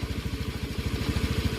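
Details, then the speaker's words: Honda Scoopy injection (donut tyre) automatic after final-drive repair (four bearings and a shaft replaced, hum blamed on the shaft): even steady running, hum fully gone, crunching largely reduced and smoother; normal. "Nah ini motor udah kita pasang, udah normal. Ini punya krek-kreknya udah lumayan, udah agak hilang, agak halus, sama dengungnya betul-betul hilang."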